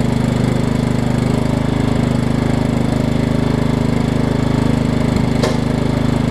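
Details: Over-20-year-old Craftsman riding mower, Kohler Command engine, on a test cycle after the wrongly fitted deck belt that locked the engine was refitted: steady, even drone with a smooth low throb, no knocks or belt slipping squeal; normal running.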